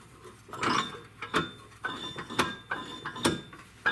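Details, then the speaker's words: Snowthrower engine with the cover off, turned slowly by hand after a suspected stuck starter. Rough, irregular grating and clunking on each pull; internal grinding, with a broken connecting rod suspected. "you know what that sounds like it's like maybe the rod's broken certainly sounds like something grinding in there doesn't it"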